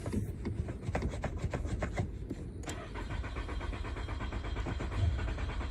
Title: Going out hard start